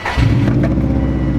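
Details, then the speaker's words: 2003 Subaru WRX wagon at idle after refitting the old coil pack on cylinder 2 (new one caused a misfire): steady even low rumble, no stumble or shake; runs smoothly, normal idle. "now there we go now it's running smooth no shakiness"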